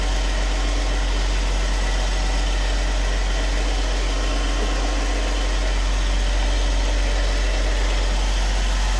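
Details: 2014 Jeep Wrangler JK, 3.6L Pentastar V6, idling after oil pump replacement, no leaks: smooth steady low hum, even firing, no ticking or knocking, runs as always; gauge still pegged at 99 psi and P0520 uncleared, sending unit suspected.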